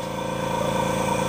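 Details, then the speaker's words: Bella Micro machine at maximum pressure: steady airy whistle into handset with faint even pump pulse, no flutter or drop-off; airflow gauge reads 4, correct. "the next thing we want to check is air flow and you can hear the air whistling into this handset and that airflow tells us"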